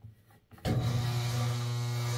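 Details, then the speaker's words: Late-1960s Hoover washing machine from an abandoned farmhouse, knob turned to run the motor: loud steady low hum that holds without speeding up, motor energised but not turning; owner suspects it is stuck and tries spinning it by hand to free it. "Well, so when I turn that knob up there, that's trying to make this motor work."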